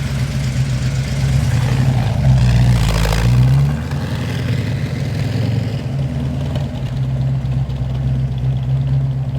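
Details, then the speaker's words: 1970 Dodge Challenger R/T after a carburetor swap and dyno runs: lumpy V8 idle, quick rev blip settling straight back to its original steady idle; normal idle. "and check it out it still maintained its original idol ah she sounds great"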